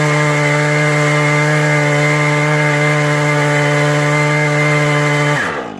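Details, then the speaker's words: Husqvarna 435e on a Granberg G777 Alaskan mill with an 18-inch ripping chain, cutting lumber at full power: a high, steady scream holding constant pitch through the cut with no bogging, then dropping off. "Okay, I'm going to show you what it sounds like when the saw is running at 100% versus being foggy. So this is 100%."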